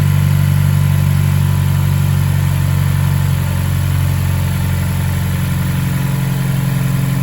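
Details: Mazdaspeed Axela BK3P, 2.3L direct-injection turbo L3-VDT engine, engine overhaul: deep, steady drone with an even beat and no knocks, ticks or rattles; running smoothly.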